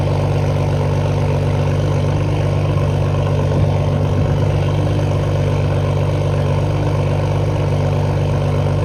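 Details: Toyota Supra idling cold just after new downpipe install, before a leak-check test drive: deep even idle, steady low rumble, no ticking, misses or exhaust-leak hiss; idle sounds similar to before.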